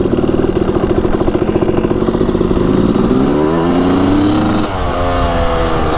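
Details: Suzuki RM250 two-stroke dirt bike, first kick start after revival: crisp crackle picking up cleanly as throttle opens, pitch climbing smoothly without bogging; normal running.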